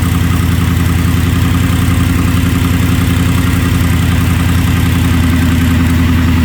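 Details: Gen 3 Ford Coyote V8 swapped into an F-150, just after replacing the high pressure fuel pump with a Napa unit and priming: deep, steady idle with an even, regular beat and no ticking or stumbling; idling normally.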